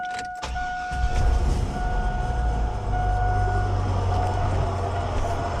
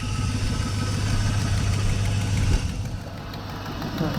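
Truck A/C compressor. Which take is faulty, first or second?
first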